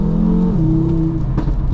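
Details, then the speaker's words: Audi RS Q3 in dynamic mode on light throttle while driving: steady drone with a sharp pop near the end; engine management light on, possible cat fault or missing cat suspected; exhaust crackle. "Listen to that. It's crackling. It's actually crackling."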